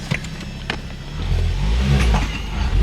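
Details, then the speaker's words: Ford Focus ST/XR5 Turbo pulling away after the exhaust leak was fixed; deep, even exhaust drone rising smoothly, far quieter, with no blowing or ticking leak. "but yeah 10 times quiet already like I can already sell big difference in the noise"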